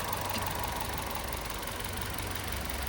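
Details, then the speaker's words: Chevrolet Trax that sat long without starting, now running again after work including cylinder head removal: steady, even, quiet idle with no ticking or knocking; normal idle. "Yan tahimik na mga boss yung andar ng ating Chevrolet trucks."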